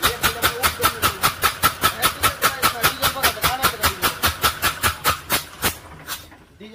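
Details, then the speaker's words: Ashok Leyland Hino diesel engine running: sharp rhythmic puffing, about two and a half chuffs a second. The number one injector nozzle has lifted because its fitting bracket cracked, so compression escapes on the compression stroke and air is drawn in on suction. "तर हे Ashok Leyland चिनो engine आहे आणि ह्या हिनो engine मध्ये हा आवाज कशाचा येतोय तर त्याचा हा एक नंबर जो नौजल आहे तो नौजल वरती निघालेला आहे"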